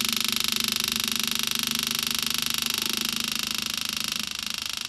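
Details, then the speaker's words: 1968 Chevelle with a newly installed used small-block Chevy V8, fuel pump fed from a temporary half-gallon can; fast steady buzzing whine that drops in tone and goes quiet as fuel arrives. Normal fuel pump operation. "There we go. Pump changed tone. It's definitely pumping fuel now. See how it got super quiet?"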